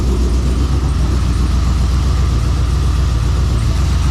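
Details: LQ4 408ci stroker (6.7L, stage 3 turbo cam) swapped Trans Am misfiring, barely staying running: lumpy uneven idle with irregular low thump; driver-side injectors not firing, P0200 code points to bad injector harness.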